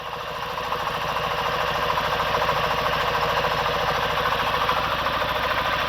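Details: Daewoo Lanos, LPG/petrol, wouldn't start after wrong high-tension lead installation: uneven stumbling beat under three pulses a second; misfire on two cylinders, oscilloscope shows no output on cylinders two and three, ignition coil/module needs replacement.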